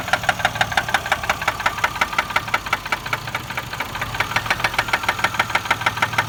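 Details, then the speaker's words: 2004 Chevy Malibu at idle, engine cuts off when put in drive: sharp, evenly spaced knock about six per second that continues while driving and quiets around 50 mph; owner suspects a spun bearing. "but that sound keeps going while you're driving kind of dies down at 50 miles an hour but you can still hear it"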